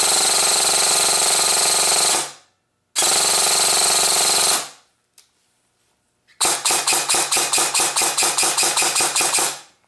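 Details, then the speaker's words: Airsoft gun gearbox dry-fired after fixing pinion/motor movement with JB Weld: full-auto bursts with harsh rough mechanical buzz and choppy clicks about five per second; shriekier, suspected off-centre gear bushing/bearing, nothing warm. "sounds like it got a lot more shriekier so the motor has definitely moved now this isn't going to be the best sounding gun basically because the uh one of the bushings and the gear that's in there is not completely cent"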